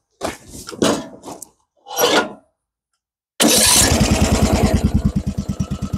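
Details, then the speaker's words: Lawn tractor with rebuilt single-cylinder engine, restarted after tightening the rod (a flame had shot from the carb intake on a previous restart): a few bursts, pause, then catches immediately and settles to an even, quick putter; clean start. "A démarré au quart de tour."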